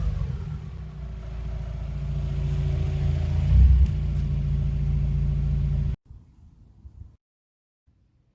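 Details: Mazda Miata before a DIY cold air intake install, with the stock intake: it starts and idles with a low, even rumble, then revs smoothly and drops back with no knocks or misses. A normal, healthy start and rev.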